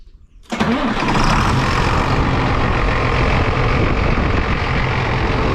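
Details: Rebuilt rollover John Deere 8300 tractor started to check for leaks after a copper ether line was run to the intake, before the hood goes on. It catches after half a second, then settles into a steady, even diesel clatter and smooth idle. Normal start and idle.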